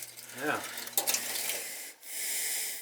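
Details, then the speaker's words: Gas steam boiler with no heat for days; after refilling, what may be the damper control (end switch) kicking in with a short rising whir, sharp clicks and steady hiss; damper suspected bad, fault unconfirmed; mechanical click on damper engagement. "there's an end switch on this thing it might be the sound it makes before it kicks on"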